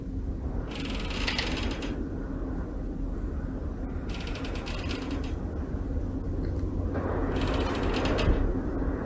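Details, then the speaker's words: Australia 108 high-rise apartment tower in Melbourne: over a low rumble, dry creaking returns in bursts every few seconds, like the frame working under wind movement; blamed on construction, damper tanks not yet installed. "what do you all think guys it says something you'd like to live in could you imagine sleeping with that creaking in the building"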